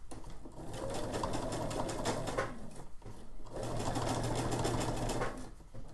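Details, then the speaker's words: Sewing machine stitching at 3 mm stitch length, about 1-2 mm from the edge: fast rhythm of three to four stitches a second over a rough, uneven clatter; it still sews fine, but the odd noise's cause is unclear. "Altså, den syr okay. Jeg ved ikke, hvorfor den lyder sådan."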